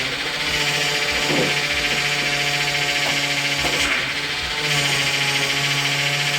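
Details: 2000 Dodge Intrepid 2.7 V6 after a power steering flush and refill: steady tone near 150 Hz with hiss and rubbing on top while the wheel turns; pump whining from air in the fluid.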